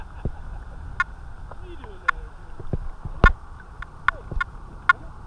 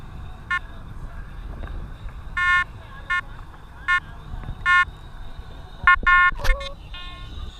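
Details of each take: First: Detector Pro Headhunter Pirate metal detector, coil in water, discrimination raised from zero to seven: mostly quiet threshold with only a few short scattered chirps; reduced false signals with higher discrimination. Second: Detector Pro Pirate (Headhunter) metal detector used in saltwater, which it isn't made for, discrimination at zero, heard through headphones; irregular beeping bursts around one kilohertz whenever the coil moves, saltwater ground chatter.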